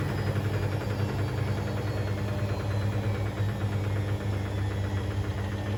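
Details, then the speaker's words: Hoover DynamicNext DXOA410C3 10 kg 1400-spin washing machine, reported loud on spin: deep spin hum with a loose irregular metallic rattle, believed caused by a £1 coin under the heating element. "sounds like something stuck in the drum um that's going to be fun trying to get that out then unless it was s in the filter I don't know"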